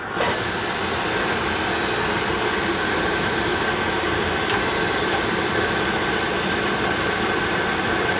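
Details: Oil furnace burner, checked after an oil-smell complaint and a fan that ran all the time, firing on a thermostat call: steady, even roar with a light hiss on top, no puffing, rumbling or pulsing; flame stable and healthy.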